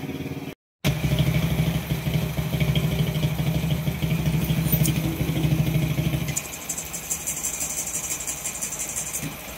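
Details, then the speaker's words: Honda Wave 125 single-cylinder after crankshaft replacement for a failed connecting rod that had caused a grinding-like noise. It now has a soft, fairly even idle beat with no bottom-end rattle, running quietly. Normal idle. "So tahimik naman siya. Ito yung tahimik siya ulang sa menor. So ayan na umandar na oh. Tahimik."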